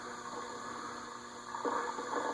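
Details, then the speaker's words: Casablanca Delta II ceiling fan (K55-type motor) with stiff, noisy bearings, after WD-40 quick fix without disassembly, run without blades: low steady hum with faint rough, scratchy rumbling as the bearings work in. "You can hear the bearings working their way. So we're just going to let that run for a bit, and then I'll put the blades on it, and we'll see if it's a permanent fix or if it needs some more TLC."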